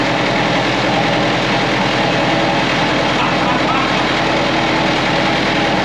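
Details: Perkins AA35001 marine diesel in a steel sailboat under restoration, first start after almost a year and winterizing, fuel system primed: catches and settles into a steady, even low clatter with no knocks or misses; cooling water flowing, some smoke seen.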